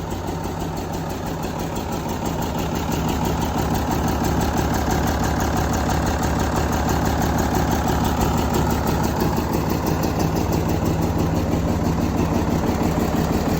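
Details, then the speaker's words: 1975 White 2-150 tractor diesel, started after 19 years asleep, idling quietly at about three pulses a second with no knocks or misses after the intake was closed up and a muffler fitted; healthy. "beautiful the thing's running really quietly now so I shut that intake up a bit put a muffer on it you wouldn't know it's the same thing"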